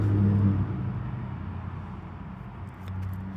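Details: Predator 4000 generator that would not start because of fuel issues, after a new carburetor, shutoff valve and fuel line: the small engine catches and settles into a steady low hum with no knocks or surging; it runs fine.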